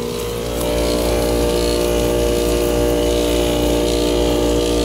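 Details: Air conditioner, thermostat on auto, around sixty-something degrees out: steady hum with rough rattle about four times a second under the fan roar; compressor suspected to be failing, not confirmed.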